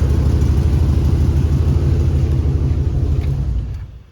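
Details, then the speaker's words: 2001 Chevy 2500 farm truck with new fuel lines, air purged, fired almost first hit: steady low idle rumble with a rough puffing beat about three times a second, sounding like a tractor; exhaust leak, location not yet found. "We definitely have an exhaust leak. Sounds like a tractor, but other than that, she fired right up, almost first hit."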